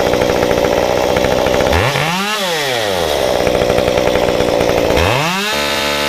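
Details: Modified Stihl 193T climbing saw (muffler mod, ~8–9° timing advance, limiters removed, 93 non-E fuel, 16-inch bar, PS3 .050 full-chisel chain) cutting a log at full throttle: pitch dips and bogs slightly on biting, recovers cleanly; strong, healthy.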